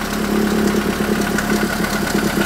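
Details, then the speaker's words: Renault Twingo engine after spark plugs cleaned and gapped to 0.9 mm, compression now about 13.5–14 bar; rough, uneven lumpy idle with faint stumbles, still not right, left to warm up, smells of fuel, check engine light on; cylinder 4 previously low compression. "c'est limite là on sent que ça tourne mais bon c'est c'est pas encore ça je vais laisser chauffer un petit peu"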